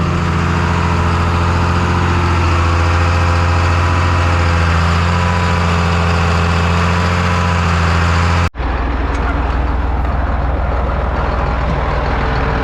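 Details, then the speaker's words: John Deere 8300 tractor rebuilt after rollover, diesel working in the field on test run: deep, steady drone holding even under load, no knocks or misses; all temperatures stayed good, healthy. "We're back from our test run. Tractor did a good job. All the temperatures stayed good."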